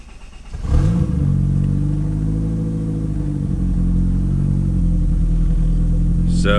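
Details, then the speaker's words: Project car, clean interior, 155,000 miles: engine catches, flares up in revs, then drops back to a steadier idle; idle surge at start-up, only running okay with a vacuum line pulled off, a major vacuum leak. "So it starts, we have a little bit of an idle surge, and the idle is gonna drop, and it'll stay steady for a minute, but the only reason it's really running okay is because I had to pull a vacuum line off."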